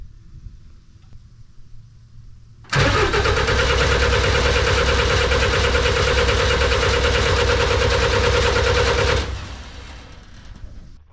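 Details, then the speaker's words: Snowcat turbo diesel first start after bleeding the fuel system, with fuel reaching an injector. About six seconds of steady cranking at roughly three turns a second, never catching. No-start because the fuel pump fuse was missing. "well it would probably help if you put all the fuses in so I uh was missing one on the fuel pump so put that in"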